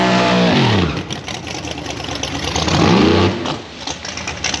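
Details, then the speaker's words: Nitrous Fox-body Mustang (four-eye) at the drag strip, burnout: revs climb, sag and surge unevenly over tire noise; stumble under load, low power, cause unknown, ignition all new so thought unlikely; runs fine on motor. "And you'll see the car stumble. You'll hear it in the burnout. It sounds kind of funny. And then it kind of goes away, and it didn't really have power to do a burnout."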